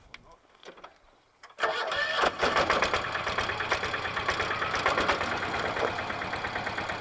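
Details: Westwood diesel ride-on mower after new drive belt, idler pulleys and broken exhaust stud repair: fires after a second of quiet and settles into a steady, even idle clatter with no slipping or squeal; healthy.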